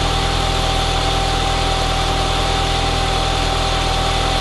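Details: Audi TT 1.8T BAM after the alternator voltage regulator repair: smooth, even idle with a steady low rumble and no knocks, misses or whine; healthy running, with the battery reading 14 volts, so it is charging.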